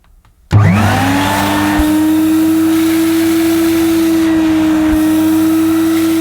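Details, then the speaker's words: Mid-1990s (c.1994) Hoover Aquajet S4488 multifunction wet vacuum, little used: motor spins up in under a second to a steady, even high whine with no surging or rattle; suction fine, pump delivers liquid, fault lies in the solution hose (possibly twisted). "so there's nothing wrong with the suction it is picking up the problem lies within the hose"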